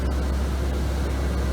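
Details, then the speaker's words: 2005 Chevrolet Kodiak C4500 ambulance, as bought: roof vent exhaust fan, steady even low hum with soft airy rush, no ticks or rubbing; not the quietest but noticeably moves air out. "it's not the quietest but it's an exhaust fan it comes right here and it does move some air"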